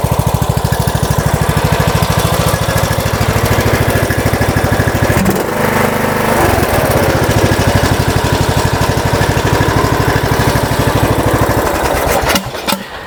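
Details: MTD Yard Works lawn tractor, Briggs and Stratton single-cylinder, after fixing no fuel to carburetor and cleaning fuel bowl: catches and settles into steady, even putter with brief dip; normal running.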